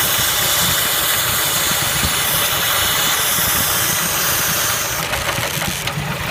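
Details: Engine knock at idle on a Kia Spectra: busy, uneven knocking about four raps a second over a loud engine drone; cause not yet known.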